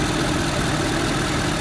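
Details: Ford 5.0L turbo diesel truck, recorded under the hood: steady, even diesel rumble at idle with no knocks or misses; healthy idle.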